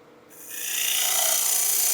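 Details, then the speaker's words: Woodturning spindle work on a bead and cove practice stick, grain between centers: the tool scraping instead of peel-cutting with the bevel gives a loud hissing rasp, much dustier, leaving a poor surface and dulling the tool edge quickly. "hear the difference in it? Much louder, much dustier, and I'm going to have a poor surface left behind. And that's also going to wear my edge of my tool out very quickly."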